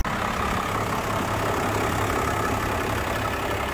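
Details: First-gen Cummins diesel truck with repaired PCM (three capacitors replaced), cold start at 6 °C, grid heaters cycling while warming up: steady, even low idle rumble with no knocks or misses; normal idle.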